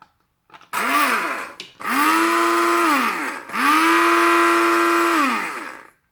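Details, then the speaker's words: Tefal Optiblend 1000 W hand blender set, blender attachment running: three short runs of loud, even, high motor whine that rises and holds steady; noisier than the mixer used before, but normal operation under load. "Tabii ki blenderlar genelde görüntü oluyor ama daha önceki kullandığımız miksere göre biraz daha fazla ses çıkardığını söyleyebilirim"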